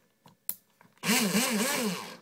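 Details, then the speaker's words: Airsoft AEG with the motor pulled up slightly in its housing. A short burst of coarse, rasping whir with a wavering low tone as the motor spins: gearbox grinding, cause not yet found. "okay see it sounds like it's grinding something there"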